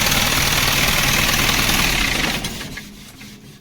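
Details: Isuzu diesel engine with no-start from engine stop motor problem; fires up and runs with steady, even clatter a few seconds before shutdown; clean normal start.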